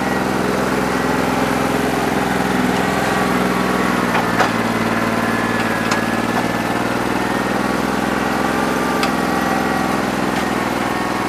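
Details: New Holland 1320 diesel tractor with a bad injector, running on about 2¼–2.5 cylinders: idles with an uneven, lumpy beat and occasional sharp knocks; owner thinks it needs an injector.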